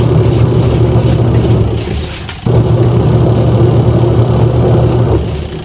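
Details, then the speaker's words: Sharp single-tub washing machine after repair that fixed a stony grinding with water: even motor hum and water churn, brief pause as agitator reverses, resumes cleanly with no grinding; now working normally. "So bale yan mga idol, okay na siya. Hindi na siya may na parang may bato sa ilalim mga idol."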